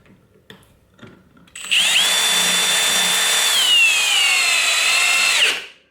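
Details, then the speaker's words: Drill driver at full torque, clutch unrestricted, driving a large screw; high motor whine sags in pitch as it struggles, with a kick at the end, drill bogging under heavy load. "and you can hear i was just struggling just a little bit and right at the end it gave that little kick on my wrist"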